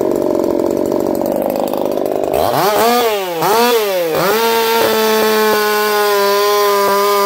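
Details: Echo CS-4910 chainsaw with experimental taper-top piston/crank swap, about 6 degrees timing advance, test cuts: high steady scream dips as chain bites, then holds even pitch, no popping or misfire; runs a little warm, about 180 psi cold, 170 warm; normal running under load.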